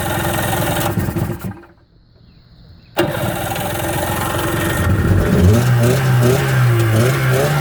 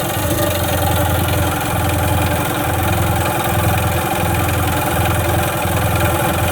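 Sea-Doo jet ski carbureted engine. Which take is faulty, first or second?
second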